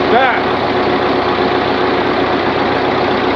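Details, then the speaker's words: Continental F124 flathead from a fire-damaged 1952 Carloader forklift, warming up with radiator temporarily connected: smooth even idle with steady hum, no knocks or misses, 40 psi oil pressure at idle; normal idle. "that 40 pounds of oil pressure at idle"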